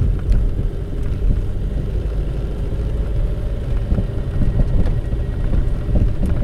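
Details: Car coasting with the engine off over speed bumps on a paved road: dull thuds from the rear under steady road rumble, a rubber-on-rubber "dub dub" rather than metal, traced to a worn rear suspension joint bushing.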